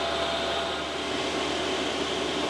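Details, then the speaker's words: New 12V 5kW diesel air heater starting up in a van: fuel pump ticking, smooth even rush of lukewarm air building in heat, steady gentle hum, no rattles or surging; normal running diesel air heater. "yeah I can hear the pump ticking [Music] away it's blowing out sort of warm air at the moment"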